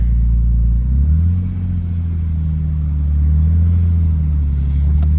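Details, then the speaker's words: Warm restart, not a true cold start, of a Nissan Skyline GTT with GTR front end, after timing belt and water pump replacement: fires right up to a steady low, even idle with one gentle rev rise and a good-sounding muffler; normal idle. "fires right [Music] up muffler sounds good"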